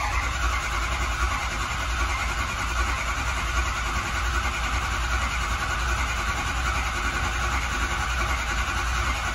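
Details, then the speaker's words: 6.0 Powerstroke diesel, high-pressure oil system air test after IPR work: starter churns steadily without catching; ICP must hit 500 to start, likely delayed by lots of air in the high-pressure oil system. "this has got to hit 500 to start and this is probably going to be because there's a whole lot of air in the system"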